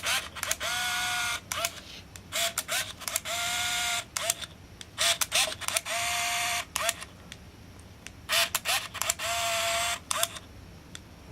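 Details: Olympus Infinity Stylus Epic 35mm point-and-shoot, firing through a scrap roll at around frame 11: short, even whirring motor bursts, about one per frame with clean stops between; the film transport is advancing normally.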